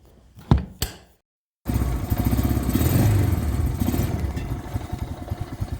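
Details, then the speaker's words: Honda Rancher 350 ATV after the carburetor jet fix: after a few knocks and a pause, the single settles into a steady low thumping idle with even beats and no stumbling; then climbs hills without bogging in second. "can see the four-wheeler's idling now."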